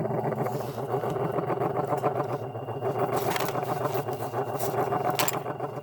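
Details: Hunter 25444 ceiling fan (Feb 1992) on toggle switch, after new Koyo bearings, pull-chain speed switch, capacitor and rubber isolators: steady motor hum pulsing about four times a second; abnormal running noise, source unknown.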